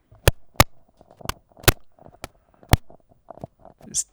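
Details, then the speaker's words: Fifine K688 microphone on XLR: sharp irregular pops and crackle as the XLR plug is wiggled; an old XLR cable was the cause, replacing it stopped the crackling. "To me, that sounds kind of like a loose connection, whether that's the microphone itself or the cable. I'm not really sure quite at this time. This cable is quite old, so it could be the cable."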